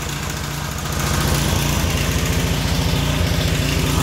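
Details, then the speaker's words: Small single-cylinder pressure washer engine running on vegetable oil instead of motor oil: a steady, fairly even chugging beat with a busy mechanical rattle on top, said to be its normal sound. "she always she always sounds like that completely normal she's supposed to sound like that"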